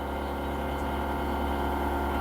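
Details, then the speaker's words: UAZ Patriot auxiliary heater circulation pump, newly replaced motor, running over engine idle: a steady even low drone loud enough to bury the engine, worse than the original pump, which hummed less but squeaked in the cold. "Вот, думал, станет лучше, но стало на самом деле еще хуже. Я уже вот нажаловался, но тема какая, поняли, да? Вот при включении насоса циркуляционного дополнительного."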